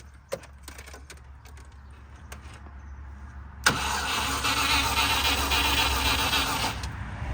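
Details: Range Rover Classic 3.5-litre V8 standing 21 years, immobilizer bypassed by wiring the starter solenoid directly: steady cranking about three seconds at nearly four turns a second, never firing; cranks but no start, no ignition feed to coil.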